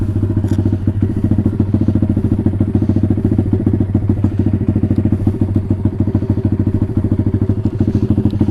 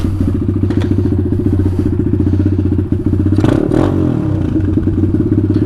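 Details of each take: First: Taotao DB17 125 single-cylinder after upgrade to a new carburetor, air filter just cleaned, warm with the choke fully off: even, steady thumping idle with no stumbling or hunting; idling cleanly. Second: Taotao DB17 125 with new aftermarket carburetor and cleaned air filter, choke coming off: small four-stroke settles into a steady, quick, even idle sitting a touch high before being turned down; high idle speed.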